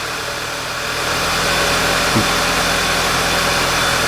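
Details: 2011 VW Tiguan after replacing crankcase breather valve: even, settled idle with steady low pulse and no stumbles; idle quality now good.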